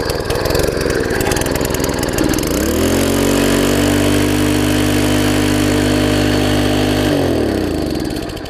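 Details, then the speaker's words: Long-stored MTD front-tine tiller engine: climbs to a high steady buzzing speed well above normal before dropping back; overspeeding, owner blames clogged air filter, later found throttle linkage misconnected at the carb. "still running really fast though air filters clogged up that's the problem there"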